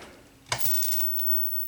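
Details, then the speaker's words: 19-inch K7000 arcade monitor chassis with over-rated 15 A fuse: sharp snap then steady frying sizzle with faint crackles; arcing suspected at the flyback or tube neck, not confirmed. "It still sounds like something is arcing in the neck."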